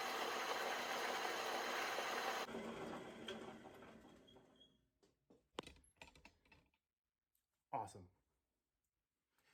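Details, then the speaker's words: 14-inch Delta bandsaw, possibly pre-1945, bought at auction, after deep cleaning and maintenance: a steady motor roar that winds down to a coast with a few light clicks; the saw runs fine. "always a plus to know that it works, even after I've gone through and done like some deep cleaning"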